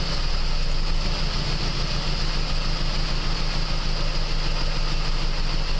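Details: 2001 PT Cruiser 2.4 during a plug-wire power balance test: uneven, stumbling idle with occasional dropped pulses; all four cylinders firing, number four most affected, nearly stalling when pulled.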